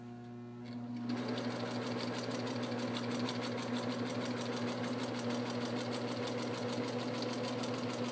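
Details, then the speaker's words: Singer 4562T sewing machine sewing a straight stitch: even, rapid needle clatter about three stitches a second, smooth with no knocks or binding, normal running in good working condition. "I'm just trying to demonstrate that the machine does work. It is in good working condition."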